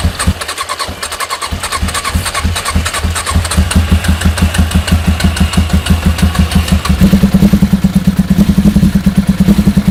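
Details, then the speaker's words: Suzuki GSX 600 project, first run after fitting new switch: lumpy uneven idle stumbling about three per second, picks up after a blip, smoking (possibly WD-40 on manifolds, loose manifold bolts); misfire suspected. "so she van gock she sounds brutal she was smoking a bit"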